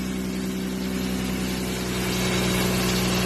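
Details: 1994 BMW 325 (E36) at steady, even idle after a vacuum leak on an intake manifold line was fixed, following a mass airflow sensor fault code 1215; smooth low beat, no hunting or hiss, sounds healthy.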